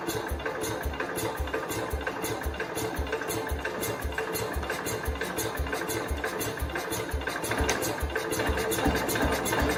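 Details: 1969 Cub Cadet 105 single-cylinder after carb readjustment, given throttle: uneven low thumps about three a second, never picking up, won't run on its own; owner suspects engine timed wrong, will pull the engine.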